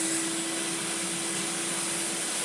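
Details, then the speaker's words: Hitachi Powerhouse upright vacuum (CV775DP/780DC), on carpet after a belt was fitted: smooth, constant motor roar and steady hum, no flapping, squeal or knocking; brush roll spinning, normal running. "Brush roll is spinning. Ooh. I I can feel it on the carpet. That is ever so nice."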